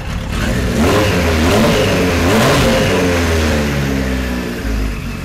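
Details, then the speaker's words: 1973 Kawasaki Z1 900 four, first year: lumpy, uneven revving that stumbles as the throttle comes up, running worse than the day before; two resistor plug caps were bad and number one plug sparked weakly; suspected misfire. "well now it's not running as good as it did yesterday he just doesn't want to run"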